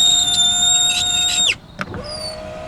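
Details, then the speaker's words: Polestar 2: a thin, high squeal while the power window moves, falling in pitch as it stops; the horribly squeaky window was reported at the car's first service. "it's horribly squeaky you can hear that noise"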